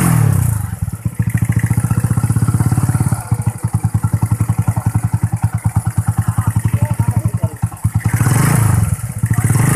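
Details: Small motorcycle with DC ignition, which earlier had abnormal ignition, sputtering and a throttle that wouldn't rise: after a battery is connected, it idles with an even, steady beat and revs up cleanly several times.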